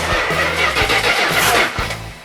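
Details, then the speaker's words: Freshly built 400 Magnum for a 1972 Dodge Charger, Edelbrock RPM heads, Torquer intake, 750 Edelbrock carb, on engine run stand: steady cranking with uneven chuff and pop, never catches; timing suspected 180 degrees out, firing order rechecked, oil coming from coil. "Oh, timing's out 180 is my guess, but let me try advancing it, see if it compensates for it."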